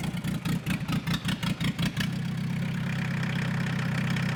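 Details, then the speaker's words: Citroen Dispatch/Jumpy diesel van, first start after engine and clutch install with a new diesel filter, started by kicker button: starter churns about two seconds, then it catches and settles into a smooth, steady idle; normal start. "we're looking good sounds good it runs good what more do you want"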